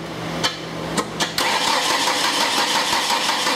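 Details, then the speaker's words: Ford Escort ZX2 2.0 no-start during crank sensor test: a few sharp clicks, then starter grinds engine over sluggishly; starter suspected going bad and battery weak, not confirmed. "okay sounds like our starter is going bad and our battery's weak you hear that little click initially"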